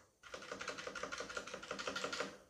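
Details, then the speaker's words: CosmicByte Firefly CB-GK-18 tenkeyless keyboard with Outemu Red switches, stabilisers lubed with Vaseline: even, soft key presses about six a second, each a clean thock; spacebar and stabiliser rattle mostly gone. "that's basically pretty silent and most of that rattling noise is gone"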